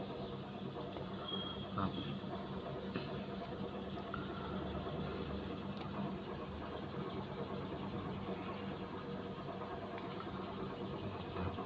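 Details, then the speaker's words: Mazda3 that previously would not crank, with flashing key and AT lights; after relay replacement and clearing codes, the engine starts and idles quietly and evenly with no knocks or misses: normal idle. "เดี๋ยวผมจะทำการเคลียร์โค้ดนะครับครับตอนนี้เครื่องยนสตาร์ทติดปกตินะครับ"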